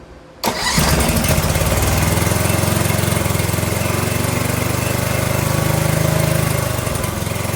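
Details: Briggs and Stratton 18 HP Vanguard, fuel on, choke used: cranks and catches within half a second, then settles into a steady, even running beat with no misses or knocks; sounds healthy.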